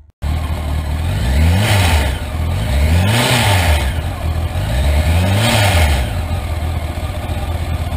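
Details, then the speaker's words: Used motorcycle revved up and down: loose metallic clatter over the engine note as the cam chain reaches maximum slack beyond the tensioner's reach; worn cam chain, costly replacement needed. "Şimdi zamanla egzantrik zinciri Maximum bolluğa ulaşınca artık bu zincir gergisi buzin ne demeye başka bir egzantrik zinciri na böyle bir bolluk sesi geliyor"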